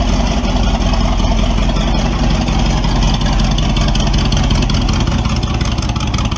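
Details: Model A with a 350 small-block Chevy (hydraulic roller cam, 9:1), tunnel ram with two Edelbrock 600 cfm carbs jetted lean, idle set at max vacuum, in a driveway test: loud, rough V8 falls flat when floored; owner unsure if rich or lean.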